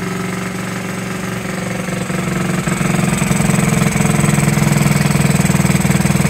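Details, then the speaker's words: 1969–70 Honda Z50 after 35 years, putters at a quick even beat that firms up and steadies; clean smooth idle, points and carburetor never cleaned. "there you have it running after 35 years first like a kitten didn't even have to clean the points or the carburetor ama"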